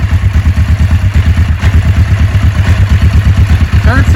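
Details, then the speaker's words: 1990 Kawasaki Vulcan EN500A, 5924 miles, carburetors gone through, new plugs, oil and filter, clutch pulled: loud, even low thumping idle about six pulses a second, no knocks or misses; healthy, bike cold-blooded. "Pull the clutch in, as always. Motor seems to run nice."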